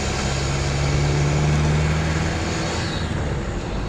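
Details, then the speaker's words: 1988 Mercedes 207D van after a CDI diesel engine swap, on a road test under acceleration: steady deep diesel drone with some induction noise, pulling evenly and sounding healthy. "which is definitely what a 207 doesn't normally do. It's not over noisy. You can hear some induction noise."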